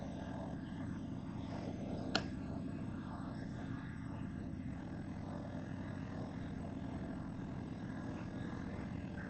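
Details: Engine at its first start after replacing the cylinder heads because of bent valves, with a hole found in the oil pump; run before further reassembly. A quiet, steady, even idle with no knocks or ticks, running normally.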